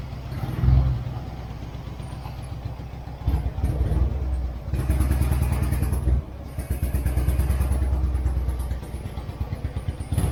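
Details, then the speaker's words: Turner Ranger tractor, 1098cc A-series petrol engine: uneven, lumpy beat with surging revs and stumbling pulses, a misfire that partly clears; dirty spark plugs or swapped HT leads suspected, not confirmed. "it was missing a bit but let's try that again it clears sounds like a stone on the cylinder somewhere"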